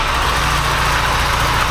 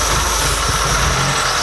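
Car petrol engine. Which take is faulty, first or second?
second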